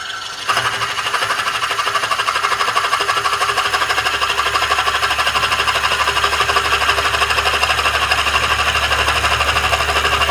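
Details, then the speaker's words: Old maple bowl being cored with a Woodcut Bowlsaver coring system on a lathe: fast steady chattering buzz through the cut, operator unsure if the old wood is compressing; vibration during cut, cause unconfirmed. "I am going to stop and double check because you hear, I don't know if you guys can hear the vibration, and I don't know if the wood is just compressing because it's so old."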